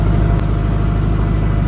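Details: Reconditioned Kirloskar HA494 four-cylinder air-cooled diesel 35 kVA silent genset, 1500 rpm: steady deep drone at even speed, no hunting or knocking; running healthily.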